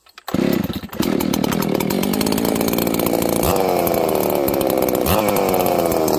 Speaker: now friends I like this saw uh it's really Snappy trigger response on this saw is incredible it's really fast it's a higher RPM build